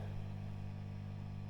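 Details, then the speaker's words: 1971–73 Vox AC30 Top Boost Reverb valve amp (Birch Stolec era), about 50 years old: steady low mains hum with buzzy overtones and nothing playing, from tired, undersized 16 µF filter capacitors (should be about 47 µF). "and you can hear it's quite noisy now there's some caps humming I think do this yes if you listen and just hear that huming the Caps are a bit underrated on these they're only 16 microfarads and really they need to be about 47 so you'll get a bit background home but these caps will be tired this amp's 50 years old now"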